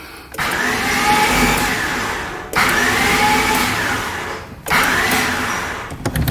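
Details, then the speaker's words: Honda Civic EF hatch, first start attempt after hooking up the battery: three two-second cranks of high wavering whir with no firing; owner suspects a bad starter or broken timing belt. "hmm that is an odd sound hmm could be a broken timing belt it could be a bad starter"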